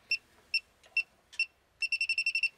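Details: Elitetech WJL-6000 refrigerant leak detector at the A/C port, residual refrigerant only: sharp high beeps, a few slow single chirps then a quick run of about eight; alarm on refrigerant vapour.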